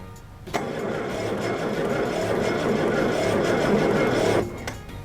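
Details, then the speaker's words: 1968 Jaguar 420G under restoration, first turnover attempt with the ignition on: starter churns the engine over at a slightly uneven beat, about three and a half turns a second, for four seconds without catching; sounds rough but cranks. "Now that sounds like shit, but it actually cranks. Super cool."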